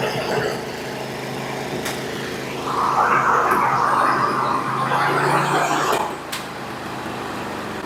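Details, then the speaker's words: Briggs & Stratton 24 hp twin on a Husqvarna, low on power, at fast idle with the non-factory governor wire removed; old, dirty gas. After repairing one cylinder, sharp backfiring pops break through an uneven run on the other side, pointing to a leaking intake valve. "y heard that we're going to have a problem on this other side too there backfiring popping"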